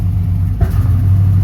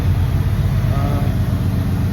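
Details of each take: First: 1990s Chevrolet Impala SS with LT1 350 on a cold day after an alternator replacement; the idle no longer spikes to about 1500 rpm. On throttle tip-in the idle sags and stumbles as if about to die, then recovers slowly; a fuel delivery fault is suspected. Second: 1990s Chevrolet Impala SS with LT1 350 on a cold, snowy day, idling after an alternator replacement to fix charging. Deep, even, quiet idle rumble with a steady pulse and no surging or RPM spikes; normal idle.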